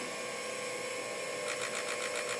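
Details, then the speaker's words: Direct petrol injectors on a workshop test bench running an automated flow test: a high-pitched rapid ticking buzz whose tone and rhythm change as the control sequence switches; normal injector firing. "and you will probably hear the different tone as it changes from one control sequence to another"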